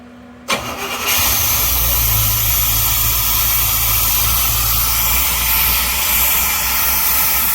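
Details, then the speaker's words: 1977 GMC Motorhome with an Oldsmobile 455 big block V8 converted to ACE KillShot EFI with a GM HEI distributor. Short crank, then it catches cleanly into a steady, even idle with no misses or knocks; normal start and idle, though coolant was low. "And she runs just like that."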